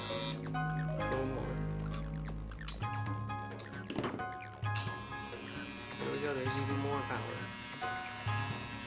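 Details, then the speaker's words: Modified Andis Outliner trimmer after adjusting the armature and tension fork, blade tightened down to seat properly: steady, strong electric hum with an even buzz, no rattle or faltering; runs really powerful, healthy. "Yeah, that's really powerful."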